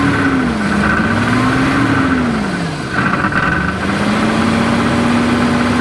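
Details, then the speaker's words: 1990 Jeep Cherokee XJ 4.0 Renix first start after 14 years dormant: rough idle with dull irregular knocking low in the bottom end, easing as revs rise; possibly lower-end or flex plate knock. "sounding a little bit more like it's kicking in the bottom end there. Bit of a knocking noise."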